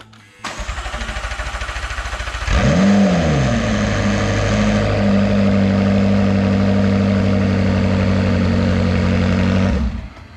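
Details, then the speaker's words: McLaren 650S Spider V8 after cam phaser repair, first start with oil but no coolant, run only seconds; starter whirs, the engine catches and flares, then settles to a steady even idle with no timing chain rattle. "everything sounds fantastic we don't have any rattling everything's good to go"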